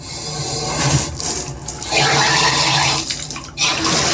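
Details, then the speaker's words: Symmons shower valve after a spindle replacement for a running valve, handle at the in-between setting. Strong, steady rush of water with brief dips, almost full pressure; the valve works normally. "I mean, that's got almost full pressure on it right there, right in the in-between."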